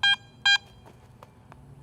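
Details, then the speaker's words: Garrett AT Max metal detector: short bright beeps, each about a tenth of a second, over a quiet background. This is the high tone given for Target IDs above 50, here from a silver coin. "finally a high tone is heard for anything with a Target ID higher than 50 listen to the silver coin and the high Tone It produces"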